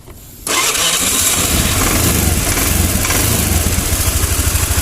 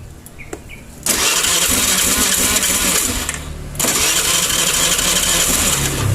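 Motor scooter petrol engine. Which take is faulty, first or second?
second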